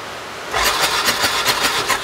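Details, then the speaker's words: 2018 Odes 1000 X2 LT UTV that died and won't restart: starter spins at about four pulses a second but it never catches. Swapping plugs showed the front-cylinder spark plug is fouled and gives no spark. "so what I could tell right now that front cylinder spark plug is fouled out it's not shooting any Sparks at all I put this one on the front now we have spark"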